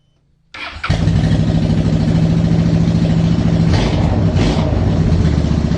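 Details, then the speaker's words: 2010 Honda Shadow Phantom, after replacing trashed fuel injectors (16450-MFE-641): quick crank, fires right up and settles into an even, steady idle with no stumbling; normal start after repair. "Oh, she fired right up."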